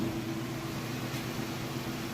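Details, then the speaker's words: Whirlpool Roper washer finishing its spin cycle: a smooth, even fast whir with a steady low hum and no thumping, banging or grinding. It spins balanced and level, normal. "Alright, we got this guy on finishing up of the spin cycle. Spinning nice and fast."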